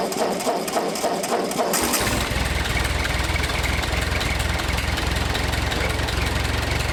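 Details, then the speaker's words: Ford 8N tractor with gravity-fed fuel, after replacing a plugged inline fuel filter at the carburetor and resealing a cross-threaded fitting with Teflon tape: two seconds of cranking, catches at once and settles into a steady, even low idle with no stumbling. "started the tractor up and started up right away and i i let it run for you know like maybe 10 minutes or something and it kept running"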